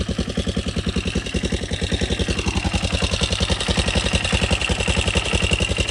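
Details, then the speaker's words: Wrecked Yamaha Raptor 660SE running with no muffler, extremely loud, with no smoke or knocking; loose front motor mounts rattle. Steady single-cylinder thump, roughly nine beats a second, evenly spaced without misses; a normal healthy idle. "But I'll start it up real quick and show it's not smoking anymore."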